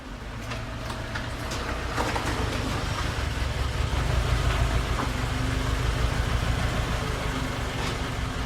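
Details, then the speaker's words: 2006 Mitsubishi Eclipse after fitting a new muffler and exhaust tip: engine revs with a smooth, even exhaust roar that swells and settles, no rattles or blowing leaks; exhaust tip sounds pretty good, normal exhaust note. "Exhaust tip looks pretty good. Sounds pretty good."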